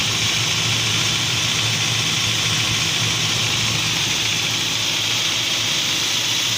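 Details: UAZ Patriot engine at idle: hissy top end with a faint repetitive knock underneath; cause not identified.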